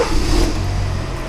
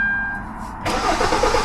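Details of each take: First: 2013 Kia Forte 2.4L 4-cylinder with intermittent crank-no-start after engine detailing; once ECM communication returned with no fault codes, the engine catches and picks up smoothly into an even run, sounding pretty good. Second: 2013 Kia Forte 2.4L 4-cylinder, intermittent crank-no-start after engine detailing, no check engine light at key on (no ECM communication): strong steady crank about four seconds with no firing, and the tachometer/RPM needle does not move.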